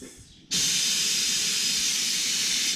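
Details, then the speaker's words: XL Step Deck Stretch trailer air suspension after raising to full height: switch flipped off, leveling valve takes over and exhausts air more slowly than a manual dump; sudden steady loud hiss about two seconds, then tapering; normal. "All you need to do is flip this switch to off and the leveling valve takes over, so you hear it dumping the air."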